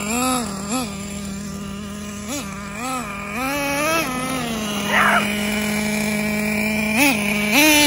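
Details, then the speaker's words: Traxxas T-Maxx with new 3.3 nitro engine that kept freezing up on start, fixed by skipping the EZ-Start igniter and slightly loosening the glow plug; thin buzzing idle with crisp repeated blips: normal running. "it started up and now it's running good we just ran a tank through it"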